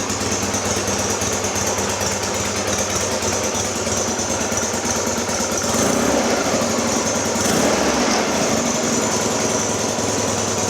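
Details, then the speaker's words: 1966 Norton Atlas twin after full engine rebuild, third run and bedding in: even, brisk exhaust beat around three pulses a second holding steady with slight rise, running cleanly; worn twin carbs may need carburation work. "because it's only just been put together and run up full knee running in we might have to look at carburation because these carbs are a little bit worn"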